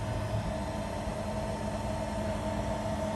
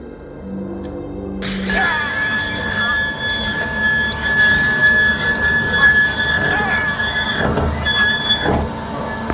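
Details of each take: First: Element3D BOX 3D printer lead screw after lubrication with silicone grease (five dots), auto-home pressed: steady even motor hum as the axis moves, squeak gone, quiet lead screw movement. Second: Element3D BOX 3D printer axis moving: a thin, steady squeal from a dry lead screw; fixed by applying a few points of lubricant, silicone grease ideal.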